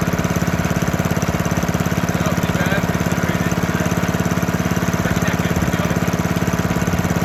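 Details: 1972 Hayterette mower, heavily worn, started cold after six to seven months unused with fresh fuel and old oil: steady, strong single-cylinder beat about two and a half firings a second, even and unbroken; normal running.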